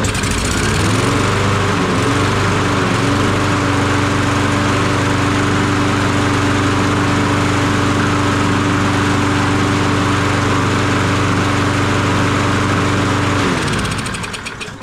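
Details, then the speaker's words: Toro 22-inch Recycler mower with a Kohler XTX675 engine, after stale fuel with water was drained from the carburetor bowl: it starts and holds a steady, even drone for about twelve seconds; runs clean. "That's all it was, a little bit of stale fuel in the bowl."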